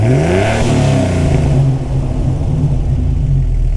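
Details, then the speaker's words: Jeep XJ, freshly rebuilt and installed 4.0L engine with Comp Cams Xtreme 4x4 cam, first start: smooth even revving, deep steady exhaust note climbing and settling cleanly, no knocks or misses; first start went very well. "so as you can hear the first start went incredibly well the motor sounded"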